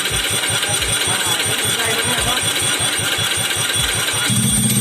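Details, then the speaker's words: Cold Honda Beat scooter just refitted with a PE24 carburetor that starts hard on cold mornings: engine chugs slowly and unevenly with the carburetor venturi covered by hand, picking up near the end; runs only choked, carb setting needed. "karena ini waktu dingin susah hidup Ya harus ditutup dulu dari lubang sini ya lubang Venturi nyaris ditutup dulu baru ini bisa hidup ya motornya bisa mudah hidup ya"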